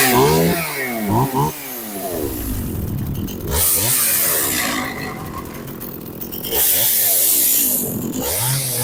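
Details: Very old John Deere 450V chainsaw after teardown and repair, started on choke and fast idle: two-stroke snarl revs up and drops back repeatedly, crisp and responsive without stalling; no longer dripping fuel, runs properly.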